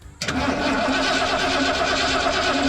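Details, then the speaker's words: 1978 Ford F100 driveway rescue, fuel tank removed, new battery fitted; starter cranks engine strongly and evenly but it never fires; fuel pump not yet confirmed delivering fuel, to be tested next. "All right, so we know it cranks over good, and that's awesome. Now, before we go ahead and put the new tank and everything else in, we gotta make sure that this fuel pump's actually working."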